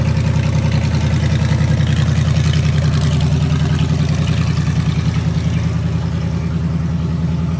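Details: 2009 Chrysler 5.7 Hemi V8, 80K-mile junkyard engine with Hotwire harness and used '09 Challenger PCM, first startup on a run stand after an oil change and return-style fuel rails: strong, even rumble at steady idle, regular firing, no ticks or misses; normal idle.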